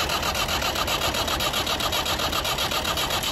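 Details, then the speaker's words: Massey Ferguson 290 diesel tractor cranks steadily, about two and a half turns a second, but never catches; air is being sucked into the fuel lines, and the fix is bleeding the injectors. "I think what's happened is we're getting air in with the diesel, and that's why it won't start."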